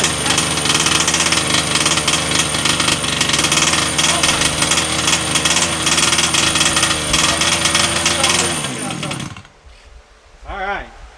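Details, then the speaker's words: Redcat Rampage XT RC monster truck two-stroke after new carb and NGK plug gapped 0.025 in, blowing some oil on bench: high rattly buzz with loose burbling note sagging before cutout; running rich, low needle to be leaned. "I mean it sounds a little floppy which is good that means it's running a little rich I can I can tweak the low and then we'll we'll run it and see"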